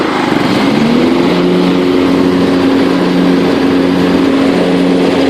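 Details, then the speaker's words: Running John Deere LT133 riding mower (muffler good) with PTO engaged: engine settles as blades spin up into a steady, fairly loud whirr; an unidentified rattle noted earlier. Normal mower deck operation. "Let's engage the PTO so you can hear the deck. It's a little loud."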